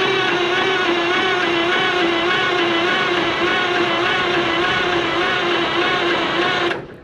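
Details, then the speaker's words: 1988 Kenworth K100E, Cummins 400 Big Cam IV, 18-speed, untouched nine years, clutch in, cranking for oil pressure: starter turns it over at a steady quick beat for about seven seconds, never catches; extended cranking, no start. "i figured i should probably uh not just crank it too long in one like i do with the lawnmower"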